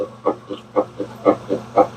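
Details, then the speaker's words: Whirlpool stacked washer-dryer, direct drive washer, after replacing a transmission that leaked oil from a bad seal (oil stains on clothes): even swishing agitation strokes about four a second over a soft low hum, no grinding or clunking; quiet, no oil leak. "Ooh, hear that? That's quiet. That's the sound of a brand new transmission. Nice and quiet. And not a drip of oil."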